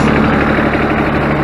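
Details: Ford New Holland 1630 three-cylinder diesel tractor, warmed up after rear remote hydraulic valve leak repair: steady even idle chug with no squeal or knock (earlier noise sounded like low hydraulic fluid); running healthy, no leak.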